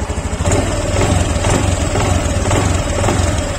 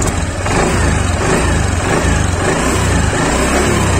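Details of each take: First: Honda Beat Deluxe scooter on light initial throttle: regular tick about twice a second from the rear CVT area over a low lumpy idle; the mechanic says this is usually the CVT case bearing, not confirmed. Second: Honda Beat Deluxe scooter, throttle blipped and released: engine rises and falls smoothly with no klok-klok clacking from the CVT pulley side, normal; clacking would indicate a worn roller housing and roller cover.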